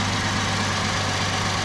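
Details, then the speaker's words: 2008 Ford Edge 3.5L Duratec, first start after replacing the water pump, timing chain set and thermostat: steady, even idle with a smooth hum and no knocks, ticks or rattles; normal. "Sounds like good. It's always a good thing after you do a major repair like that actually run."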